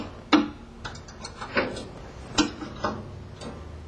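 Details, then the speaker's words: Baker Products band resaw blade guide raised until it just contacts the blade, with the guide foot about 1/16 inch from the gullet: sharp, uneven taps under one a second over a faint hum show the guide is set slightly too low. "raise your guide up to where it just comes into contact with the blade and as you'll notice there you can hear the tapping sound that tells me that my guide is just a little too low"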